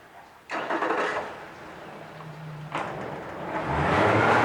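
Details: 2014 Yamaha 50hp high-thrust 20in remote outboard with new plugs, impeller, oil and fuel filters, lower unit lube and a serviced fuel system. On restart after shutdown it cranks briefly, catches right away and runs steadily. Any rattling comes from the tank, not the motor.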